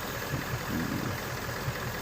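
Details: 2017 Ford Mustang GT 5.0 Coyote V8 idling, codes P0302/P0316, cylinder 2 misfire, cause unfound; irregular stumble, an occasional missing beat breaking the rhythm.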